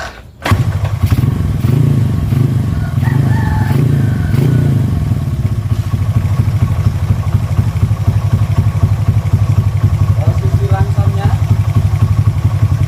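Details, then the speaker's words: Honda Astrea Grand motorcycle after an ignition upgrade fitting a Yamaha Jupiter CDI, test run while stationary up to full throttle: catches right away, revs cleanly several times, settles to a steady even idle with no misfire; running fine. "Kita nyalakan dulu. Uji mesin apakah berjalan normal hingga batas gas tercapai."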